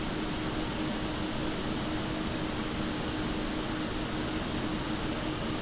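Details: Montech HyperFlow Digital 360 AIO cooler on an open bench, with the pump at full speed and the radiator fans ramped up: a steady, light airy hum with no sharp pitch, whine or rattle. Normal, healthy fan noise.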